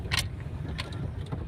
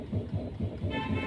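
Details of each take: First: Tata Zest on a test drive over a potholed road under construction, after the suspension noise was diagnosed and fixed: only low road rumble and soft tyre thumps, with none of the earlier thudding or knocks. The front suspension is now quiet. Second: Tata Zest, steering rocked left and right: dull knocks about five a second, worse while driving, with a horn toot at the end. Steering knock from worn tie rod ends with torn boot and loose ball joint.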